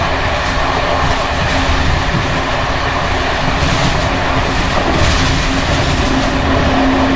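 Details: Bd264 481 coach (built 1979), Görlitz V bogies with many kilometres since last overhaul, evening run on uneven line 190, Hluboká nad Vltavou–Číčenice; loud loose metallic clatter over the rail beat from slack bouncing brake rigging.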